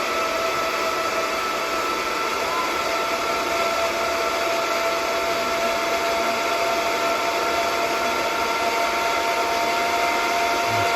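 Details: DB Werx amplifier fan on adjustable DROK buck step-down regulator, output voltage being increased from 8.23 V: smooth even whir, steady high tone, no ticking or rubbing; fan running normally at higher speed.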